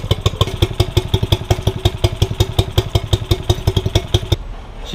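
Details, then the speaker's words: 2006 Honda 5HP four-stroke short-shaft outboard after maintenance and impeller replacement, idling: loping thumps about four or five a second, slightly uneven but steady, owner feels slightly clunky; running fine. "All right, y'all, like I was saying, the motor's running perfectly right now. It's running perfectly. I'm not sure what the idle's supposed to sound like."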